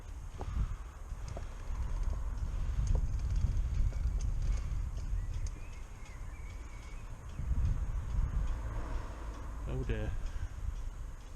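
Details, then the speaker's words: Rear bicycle wheel spinning with a slow knock once per turn like a grandfather clock; another snapped spoke found on the same wheel. "Is it a broken spoke? Because I can hear something knocking. Yeah, that sounds like a broken spoke."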